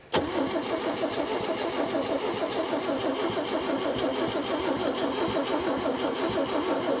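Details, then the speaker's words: 1961 Chevy Biscayne, 235 inline-six, 3-speed manual, sat 30+ years in a junkyard; after fixing the plug wire order, steady cranking with no firing. It no longer backfires but gets no fuel: crank, no start. "so it's not backfiring now we're not getting any fuel either"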